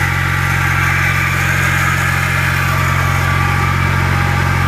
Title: E61 mechanical noise at idle